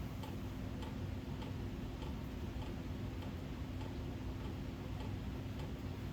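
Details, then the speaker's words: 1987 Kontrust-made 56" Gulf Coast Naples ceiling fan on medium speed: steady low hum with a light regular tick about twice a second, caused by the canopy sitting loose on its Casablanca-style hanger mount. "that noise you're probably hearing is the canopy this fan uses a knock off of the hanging truth of casablanca and installs the same way as a hanger does so therefore it's a little loose"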